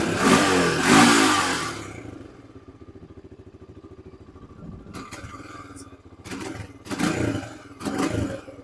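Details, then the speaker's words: 2002 Honda TRX300EX single-cylinder quad; steady idle, but quick throttle blips cough and hesitate before picking up, an off-idle stumble; suspected aged pump not delivering gas, kit replacement suggested. "Just get the kit and replace that pump. That should cure that. Because that's it's just not getting the gas."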